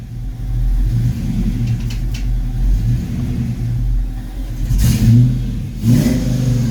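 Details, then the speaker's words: Foxbody Mustang after distributor swap, started before setting timing with timing gun: lumpy loping idle with blips, still running rough, cause not pinned down. "still running rough to me"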